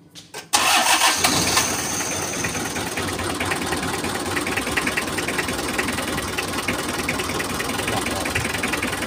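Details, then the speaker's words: Mitsubishi L300 with a new fuel filter that still lacks power and uses too much fuel: the engine catches after a short crank, then runs with an uneven, lumpy beat instead of a smooth idle. Ignition trouble is suspected, not confirmed. "Oke, begini, teman-teman, suara mesinnya seperti mengalami masalah pengapian."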